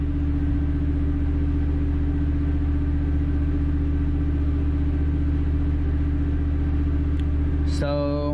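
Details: Standby generator running after a power transfer, checked during a boiler lockout for low air. Steady, even hum with a low constant drone and no misses or knocks; normal running.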